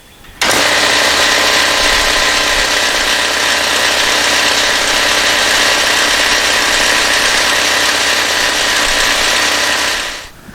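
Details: Porter Cable 5 HP 60-gallon air compressor, about 20 years old, running with a replacement motor adapted after the original shot sparks and smoke, belt on: starts cleanly, steady even pump chatter and motor hum, no labouring; running normally.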